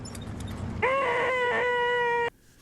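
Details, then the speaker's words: Early-1990s Bose Wave Radio AWR1, non-working when received: a sudden loud, steady, mid-pitched rasping buzz of about 1.5 seconds, unaffected by volume. Filter capacitors are suspected; not confirmed. ">> That's interesting. So, the volume has no effect on the uh noise. So, in an old tube radio, that would be the filter capacitors. Very, very noisy."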